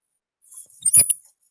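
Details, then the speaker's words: Yamaha Fino scooter, front disc brake. A brief high metallic scrape and clink, and the wheel sticks at points. Pad rubbing the disc from a dragging caliper; check pad wear, then possibly clean the caliper and regrease. "ได้ยินป่ะเดี๋ให้ฟังเสียงด้านหน้านะนี่เพื่อนๆได้ยินป่ะเสียงเบรคแล้วรู้สึกว่าบางช่วงหมุนแล้วมันติดด้วยนะเนี่ยมันติดเห็นป่ะ"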